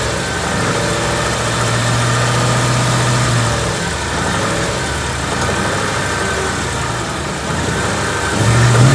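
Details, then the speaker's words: Bone-stock 2014 Ford Coyote V8, 29,000 miles, checked from passenger side for tick or piston slap: revs up and settles smoothly, no ticking or slapping; single click is AC clutch engaging; healthy engine. "AC was on at the end there. I kicked it on. You can hear it click on. Sounds healthy to me."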